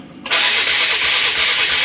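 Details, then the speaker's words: 1996 Polaris Marauder 425 4x4, liquid-cooled four-stroke, neglected then reassembled: a high, steady whirring cuts in and keeps spinning even with the key off. The starter runs on its own; owner suspects a wiring fault or the ignition key. "And she's still making noise, which tells me that there's something in the wiring that is off. I'm honestly thinking it might be the ignition key."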